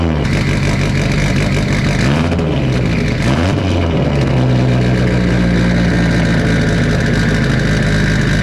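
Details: First start of a big-turbo, cammed Subaru with no intercooler piping or MAF plugged in: loud, rough open engine revs up, then settles into an unsteady, lumpy idle; many vacuum leaks; smoke from coolant dripping onto the exhaust.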